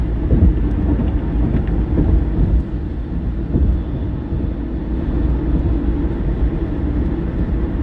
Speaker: It's when you go to hit the brakes and she'll cut off at idle. You can hear it. It just like shakes down and then it shakes up.